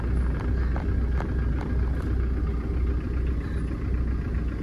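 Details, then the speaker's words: Tata Indica diesel after EGR valve fault addressed and idle adjusted, AC switched on: even clatter at a steady idle, no hunting or stumbling; runs smoothly. Injectors and fuel pump noted as weak. "Friends, இதோட RPM பாருங்கள். நான் AC on பண்ணுறேன்."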